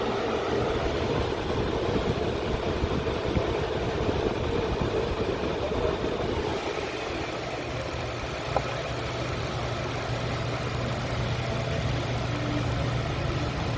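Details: 2002 Lincoln Continental 4.6 L 32-valve V8 idling: steady low idle with occasional hiccup and brief uneven shudder, stumble at and just off idle in gear; unmetered air leak from intake tube separated after an air-filter change.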